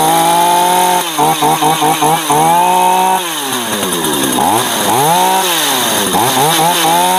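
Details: Two-stroke chainsaw stored over a year, running after a dead spark plug was swapped for a spare: buzzy idle revving and sagging with throttle; idle keeps the chain turning, which is dangerous; clutch/sprocket set needs repair, cause not yet found.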